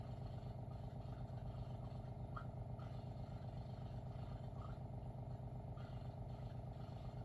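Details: WaterFirst countertop reverse osmosis purifier, first-time setup, near the end of filtration: a steady low motor hum with a fast, even pulse about four times a second and no knocks or rattles; the pump is running normally.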